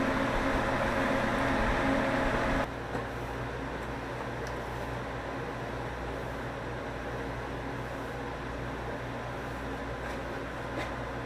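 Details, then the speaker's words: Broadcast radio transmitter after replacing its ventilation fan: soft, steady purr from the small fan with no rumble or rattle over a quiet room hum. It previously rumbled; now working normally. "so quiet now but I can hear that little fan just purring but it's not rumbling like it was that's a good thing"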